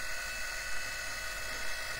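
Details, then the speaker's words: 3D-printed jet-engine desk fan with a centrifugal compressor driven by a brushless DC motor, at its lowest speed. A steady high whine with a faint buzzy vibration. It is not horrible on low but gets noticeably noisier at higher speeds. Fan whine and vibration. "The fan is not incredibly quiet. It whines. It does make a noticeable vibration. It isn't horrible on the lowest speed, but as you can hear, it gets noticeably noisier on the higher speeds."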